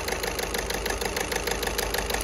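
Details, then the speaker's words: VW Golf 6 1.6 TDI diesel at idle. A sharp, regular clatter rides over the idle and follows engine speed. Unplugging one injector's connector does not change the noise, pointing to a faulty injector knock from one or possibly two injectors. "donc voilà là dans ces cas on a bien un problème des injecteurs donc il y en a un ou même deux injecteurs qui soit défectueux"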